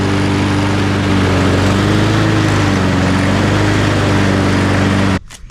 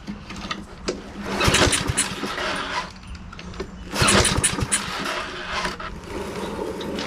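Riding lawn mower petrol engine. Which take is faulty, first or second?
second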